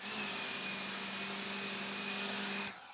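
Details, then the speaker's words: Amazon pressure washer resembling the Active 2.0, fed by siphon instead of a hose, about 960 PSI; steady, even high-pitched motor and pump hum with no surging or cycling, then a clean shutoff; running normally on siphon. "Hey, siphon. It just sounds like it's meant to siphon."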